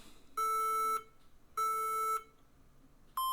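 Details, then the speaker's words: HP ProBook 640 G3 laptop on charger at power-on: long, steady beeps repeating a 3-long 2-short POST code indicating a memory/hardware error. "So I turn it on, and right away we can hear some beeps. So let's listen to them. So 3 long ones and 2 short ones."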